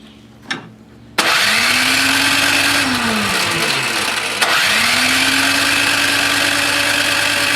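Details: Toro Power Clear 621E snowblower with a 163cc OHV four-stroke, carb bowl full of old stabilizer and main jet clogged: the starter whirs steadily and the engine turns over twice but never fires. Crank, no start.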